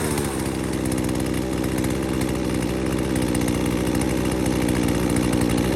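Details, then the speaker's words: Husqvarna 240 chainsaw with new Hipa carburetor, previously bogging, after high, low and throttle screw adjustment, restarted after 15–20 minutes rest and already cut wood: steady even two-stroke buzz, no stumble; normal running. "Okay, there you have it. Basically running good. I had already put it in some wood."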